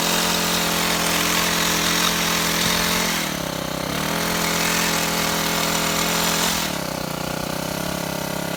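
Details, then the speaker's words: Shindaiwa HT2510-40 hedge trimmer with C4 low-emission hybrid four-stroke, low power complaint, after clutch and fuel line replacement: engine buzzes unevenly, sagging and surging, runs terribly. "Okay, it runs terrible. going to have to go in the shop and check some things."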